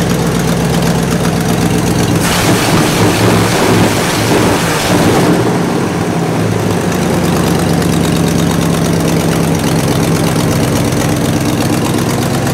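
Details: 1968 Buick LeSabre V8 idling after engine repair, previously abandoned with no oil pressure and leaking head gaskets; valve cover off, oil pressure good, head gaskets holding, temperature stable around 190°; deep smooth rumble, brief background gust, no ticking or misses, healthy.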